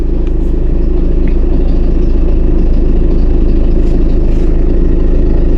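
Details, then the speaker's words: Land Rover Freelander engine at idle: loud, low, even chatter of about three per second from the belt drive; alternator belt tensioner loose. "ऐसा लगता है कि यह है आवर्तित्र belt और इसके टेन्सर शोर होगा।"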